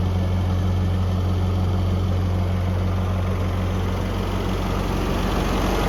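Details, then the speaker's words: 1982 Toyota SR5 4x4 truck after replacing emissions control computer box thought to have caused crank-then-cut-off; smooth steady low idle with even pulse, no stumbling or dying; normal idle. "pretty smoo at the moment up a little bit down sounds pretty good at the moment"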